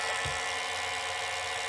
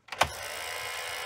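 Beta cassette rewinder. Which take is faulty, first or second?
second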